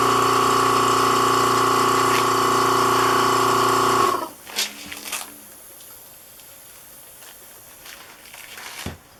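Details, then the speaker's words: Vacuum pump bagging a 3-inch composite motor tube on the second attempt: steady hum with a fast even pulse for four seconds, then cuts out; it keeps running because the bag leaks, and pressing on a leak seems to stop it. "so as you slowly plug the leaks you kind of know you're gaining by how much time there is in between periods of the vacuum being on"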